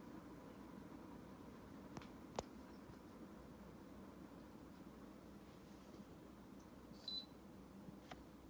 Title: MHI Avanti Aircon #2 - Clicking / Ticking Noise